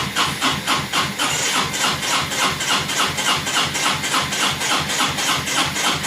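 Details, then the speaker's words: 2002 Honda Reflex scooter cranked by jumping the starter solenoid wires after interlocks gave nothing: steady cranking, about three and a half compression pulses a second, hissy background, never fires; fuel, spark or both missing, not yet determined. "hmm okay so we got to figure out what we don't have fuel or spark or both or something but"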